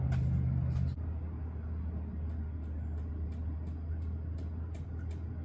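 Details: 2021 Kenworth T680 diesel truck idling right after an oil pan replacement and oil refill: low, even rumble at steady idle with no knocking, rattles or hunting; engine runs normally.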